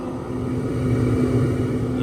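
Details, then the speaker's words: New Oklahoma Joe Rider DLX pellet grill, burn-off, set on low: steady low fan hum with faint slow auger drone, even and unbroken; fan and auger running normally. "we pay close attention, our auger is actually working. It's going slowly, and you can hear the fan as well. Looking real good so far."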